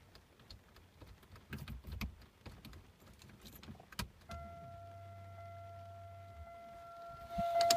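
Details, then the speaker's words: 2000 Chevy Malibu that starts then stalls after a fuel filter and tune-up, with two-stroke gas in the tank: key-on brings a low hum from the tank about two seconds under dash chimes; pump primes, possibly weak. "okay so uh the fuel pump is working for sure"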